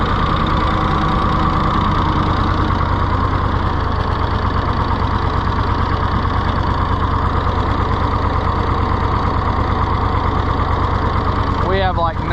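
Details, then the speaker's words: Rusty, neglected auction-bought Ford 4000 tractor first started: lumpy, uneven three-cylinder idle with irregular thumps, no speed change; runs rough, governor seems seriously wrong, no throttle action, carburetor butterfly in poor shape, flooding suspected. "thank you not run well there we go there's a little Gunner something is seriously wrong with our governor Lincoln"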